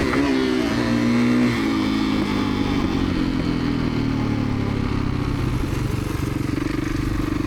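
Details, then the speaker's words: 2017 Kawasaki KX450F single-cylinder dirt bike after no-start repair (customer suspected lost compression; reported bog or hesitation on acceleration): crisp bark climbing cleanly through revs with no hesitation, pulls strongly; healthy under acceleration. "Well, she's running absolutely perfect. Customers worried about a little bit of a bog or hesitation on acceleration and I don't have anything on this thing. It just pulls like a brake frame like a 450 should."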